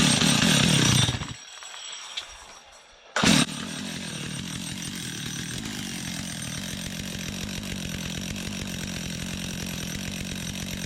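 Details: Stihl MS 250 chainsaw, first start after an oil line replacement with bar oil refilled: after a brief rev it settles into a steady, even idle with a regular putter and no hunting or misfire, and the oiler works.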